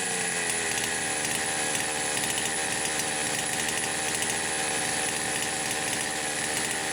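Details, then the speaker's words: Poulan Pro 525 chainsaw (essentially Pioneer P52), governed carb, carb gaskets repaired: steady fast raspy two-stroke buzz that never settles, idle screw backed fully out; idles far too high, cause unknown. "I don't have any idea why it is trying to idle too high. I mean, the idle speed screw's backed off as far as it will go."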